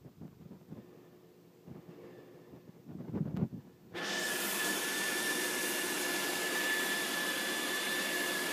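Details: Loud pool equipment noise at a service call: after quiet handling, a loud steady rushing roar starts with a thin high whistle on top. Loud pump noise, cause unclear.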